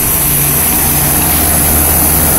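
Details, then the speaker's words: 1990 2.5-ton Tempstar heat pump in cool mode at about 90°F. Fan spinning and hot air blowing, but a steady low drone with a rough, hacksaw-like buzz from the condenser. The unit is slowly dying. "fan is spinning the air is coming out the side here and there's nothing compressors I could sweating spinning away out hot air blowing on me don't you there we go but he is crap like a hacksaw in here this thing will be alive much longer it's slowly dying"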